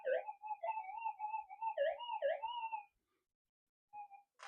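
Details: Minelab GPX-6000 metal detector with a modified figure-8 coil, gain high: warbling mid-pitched false signals while sweeping clean ground and hot rocks; owner attributes this to too much ferrite in the coil, affecting ground balance.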